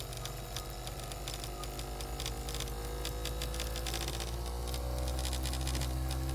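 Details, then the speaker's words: Ferrari 246 Dino Magneti Marelli variable-speed wiper motor on a bench test, rheostat about 0–60 ohms: low hum with a rapid, even knock about three per second, from armature thrust (end-play) not set properly. "now this motor has another problem in it that the thrust is not set up properly on the armature because you can hear it knocking"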